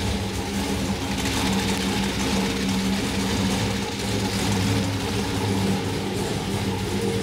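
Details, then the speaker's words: Trailblazer SS, 5.3L LMF steel block, Texas Speed stage 3 low-lift turbo cam, 76mm turbo, E85 only, first start, cold and untuned: deep, choppy, loping idle that holds without stumbling. Normal cammed idle. "we are very happy with the way that starts up we have some tuning work to do from here"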